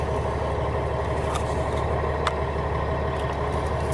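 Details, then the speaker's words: Class A truck diesel, warmed up from earlier running, idling in neutral during in-cab pre-trip check, oil pressure almost 40: steady, even rumble with constant low beat, no knocks or misses; normal idle. "Now this truck, we inspected under the hood, and I actually had this truck running for a bit and did a couple other checks on it, and so it's kind of warmed up right now."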